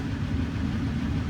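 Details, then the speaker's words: Dodge 1500 diesel pickup at auction, listed mechanical damage, idling on a 97° day; low steady diesel rumble, no knocks, misses or rattles; no check engine lights, flashing lightning-bolt light unexplained; normal idle. "I was going to say it sounds a little l for diesel but guess not I mean got no check engine lights on"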